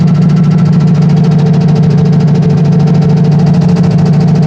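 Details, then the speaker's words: Turbo truck at warm idle on low boost, which earlier lost oil pressure when hot; temperature and oil pressure now fine: loud, slightly uneven ticking knock, two or three a second, that goes away; owners suspect valve train, not rod knock. "Temperature's alright, oil pressure looks decent. I don't know, that noise is weird though."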